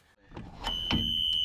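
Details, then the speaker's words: School bus emergency exit door opened to the lock position during a pre-trip check: a steady high-pitched electronic tone starts suddenly and holds evenly; the emergency exit door alarm sounds as it should. "Open the door to the lock position. The alarm sounded. I'm going to close the door and the alarm goes off."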